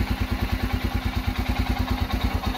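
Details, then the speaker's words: Royal Enfield Himalayan, started with choke lever pressed: soft, slow, weak single-cylinder thump sagging toward stalling; engine then cuts off by itself, also while riding; owner suspects fuel injectors or weak battery, cause unconfirmed. "आप देख रहे हैं आवाज इसकी बिल्कुल आहिस्ता से आवाज आ"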